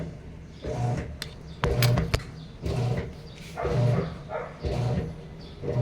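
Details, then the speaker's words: Sharp automatic top-load washing machine, reported as not draining or filling, tested before repair: short back-and-forth strokes about once a second with no water coming in while the timer counts down; technician suspects a control board fault. "so hindi siya nagkakarga ng water ikot lang siya ng ikot ng ganyan nababawasan yung oras niya"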